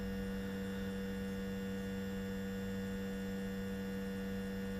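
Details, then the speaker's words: Zenith 4-B-231 radio after synchronous vibrator rebuild with new foam base, muffler housing off: clean steady buzz at constant pitch, hums right away, no stutter or crackle; normal vibrator hum. "it's humming right away so it's pretty cool and we've got that housing that we'll put back over it has the muffler built in and get that reattached"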